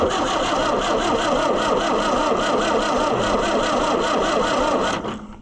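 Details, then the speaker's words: Oliver 550 diesel tractor, cranked with a screwdriver: starter turns over about three beats a second for five seconds, never catches; cranks but won't start, no fuel reaching the injectors. "Still no fuel though at the at the deals."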